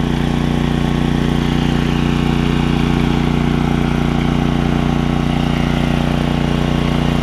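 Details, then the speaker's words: Generac generator with Briggs 9hp Vanguard after ultrasonic carb clean of heavy varnish, stale fuel tank flush and new fuel line; constant even drone under load, no hunting or surging; running properly. "that thing runs pretty good don't it doesn't even flinch you can hear it working though that's good"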